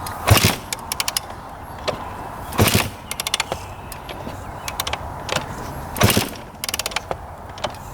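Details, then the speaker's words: 2001 Honda CR250 two-stroke dirt bike sold as non-runner: three kick-over strokes, even whoosh with light clatter, no firing; turns over smoothly, so owner doubts bad rod bearing or top end. "Doesn't want to go, but it sounds really smooth kicking it over. So, I don't think there's a rod bearing bad, and I don't think the top end's bad."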